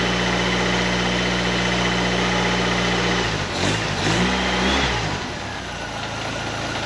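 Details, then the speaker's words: 1931 Ford Model A coupe hot rod, Ford 2.3L with Holley 2300 350 CFM carb, warming up: even steady idle then a smooth rev blip that drops cleanly back; engine healthy. "I turned the fan on a couple times, but the old Holly 2300 sitting here running good. 350 CFM."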